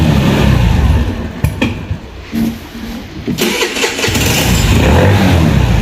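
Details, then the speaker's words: Cappuccino 50 new-body fuel-injected scooter with its fault light on: it starts, picks up on throttle, then sags and stalls before firing again. Stalling is attributed to a sheared flywheel key throwing ignition timing off. "çalıştırdım gazı veriyorum kardeşim yakıyor ve istop ediyor"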